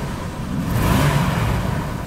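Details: 1987 Dodge Ramcharger 4x4 SUV, on a second start attempt after a low-battery first try: engine catches and revs smoothly with a deep steady rumble, no knocks or misses; normal start and rev.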